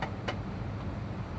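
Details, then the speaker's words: Honda GX35 grass cutter engine, warm, no choke, after 3 months in storage and carburetor screw and throttle adjustments; runs steady and even at idle with no knocks or misses, healthy after tuning. "At kagandahan lang nitong ating grass cutter na Honda GX35 ay kahit na pa-stock ng ilang buwan ay gumagana pa rin, umaandar pa rin siya."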